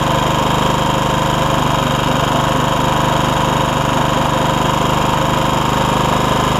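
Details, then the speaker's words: Honda HR194 push mower after ignition coil replacement, throttle slightly lazy from a stretched governor spring: even, steady single-cylinder beat with no misses or surging; normal running. "one other thing I had to do you hear how good it was the throttle's a little lazy but I'll show you why"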